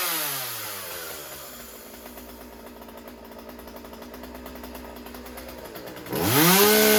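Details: Husqvarna 36 chainsaw after stuck carburetor needle fix, idle turned down: lumpy low run then a clean high scream as the rich high-speed mixture is leaned slightly toward correct.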